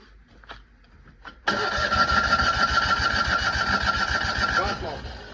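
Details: Citroën 2CV classic car: steady starter cranking at about three and a half pulses a second for several seconds, with no catch or firing; the engine cranks but won't start.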